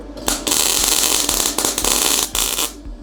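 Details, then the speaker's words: MIG welding on 10-gauge settings, stick-out shortened and settings turned up a notch: crisp, frying crackle in sustained runs with only brief breaks; the arc is steadier and more consistent. "all right yeah that even got uh a little better like it was more consistent"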